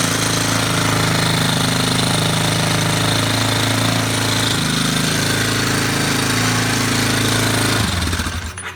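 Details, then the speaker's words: Yamaha Warrior number 4 single-cylinder, about 1–1.5 hours on rebuilt motor, after valve adjustment, no fuel tank fitted: steady slightly fast even idle with light tick, then shuts off; rattle much quieter, smoke is burning off oil. "That definitely sounds better. That smoke's just it cooking off that burn oil, that non-burn oil."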